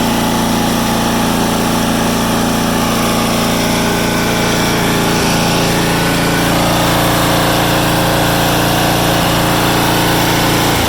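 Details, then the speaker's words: Swisher pull-behind mower small single-cylinder engine after fitting a new aftermarket carburetor and freeing the sticking choke: starts right up and idles steadily at an even rhythm, no misses or knocks; normal idle. "but go ahead and pull it starts right up"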